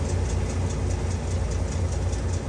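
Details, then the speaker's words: 1994 Ford F53 Holiday Rambler motorhome engine, cold start: light quick even ticking over deep steady idle, likely valvetrain; oil didn't seem low, ticking fades within about a minute; Ford says normal, cause unconfirmed. "So now, before I go on our trips, I start the engine up and it ticks for a little bit, and then eventually, you know, within about a minute or so, that ticking noise goes away."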